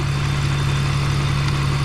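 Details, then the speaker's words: 2001 BMW E46 petrol engine idling after a Motor Medic engine flush; the earlier abnormal ticking is gone and a pulley squeak has also stopped, leaving a steady low hum: normal idle. "So yeah, I want to say it worked. I'm not hearing it."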